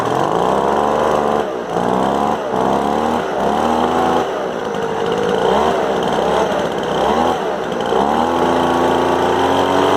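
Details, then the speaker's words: Craftsman 200mph two-stroke leaf blower running rough, high-speed (right) carb screw being turned in from too far out: the engine bogs and sags from an over-rich mixture, then picks up and holds higher revs as it leans. "so when it was running the screw on the right there I was turning it in and it was out too far when it's out too far it's running too rich when you turn it in starts to run lean"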